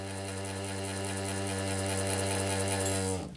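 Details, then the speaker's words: Old quadraphonic 8-track player, long stored and powered from a bench supply, tricked into sensing a cartridge. The capstan motor hums smoothly at a steady pitch for three seconds, then winds down cleanly at power-off. Normal motor run. "So if we try and make it think it's got a cartridge it's running."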